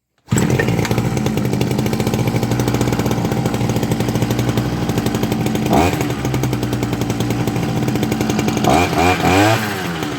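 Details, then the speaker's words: Zomax ZMB 305 small two-stroke after repair (new gearbox, internals cleaned, threads restored, new filter and spark plug) buzzes steadily at a fast even beat and picks up cleanly on throttle blips with no misfire; running fairly well. "Працює досить непогано."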